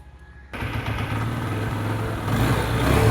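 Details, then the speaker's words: TVS Apache 2011 motorcycle, previously push-start only with no meter lights, after wiring repair: fires cleanly on the starter and builds into a smooth, steady run climbing slightly with throttle; normal running. "ये देखिए हमारी गाड़ी start हो गई है। पहले जो है धक्के से होती थी।"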